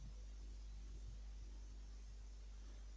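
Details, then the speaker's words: Steady low transformer-like hum with a faint hiss like falling snow. This is corona discharge from a 220 or 330 kV power line, heard while driving beneath it in frosty, foggy weather. "Не знаю чи ви почуєте на камеру таке годіння те як від трансформатора і таке тихе шипіння такий те як Шелест ніби Шелест падіння снігу це є коронний розряд"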